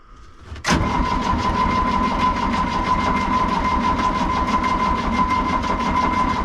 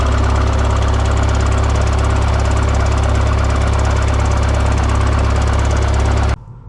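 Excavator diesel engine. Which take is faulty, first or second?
first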